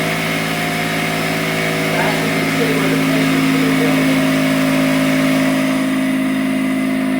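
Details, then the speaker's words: Kobalt 6-gallon portable pancake air compressor, new out of the box, first run building tank pressure to about 75 psi: steady motor hum with an even pump chug of about three beats a second; running normally. "Yep, guys. It's going really good. >> All right, we're at 75."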